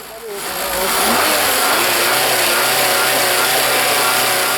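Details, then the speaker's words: Engine revved high while listening at the PCV oil separator; smooth rising roar with no hiss, so the separator diaphragm is sealing; normal PCV valve. "у нас нету никакого подозрительного звука"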